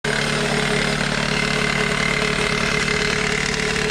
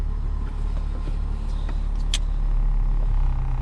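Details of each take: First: 2001 Toyota Corolla at idle with a busy metallic chatter of about four per second; worn serpentine belt tensioner rattling, fixed by replacing the tensioner. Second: Toyota Corolla idling in drive with e-brake on and AC on for extra load, after replacing the worn serpentine belt tensioner that caused the rattle; low, even idle with no rattle from the belt area, only faint clicks, quiet and healthy.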